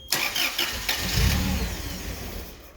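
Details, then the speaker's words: Toyota 7 Series forklift with 4Y engine, ignition signal wire to the ECU probed while cranking: starter churns, engine briefly catches roughly then dies within a second; flat-line signal. "so you heard that it's doing the same thing okay but something is abnormal for sure"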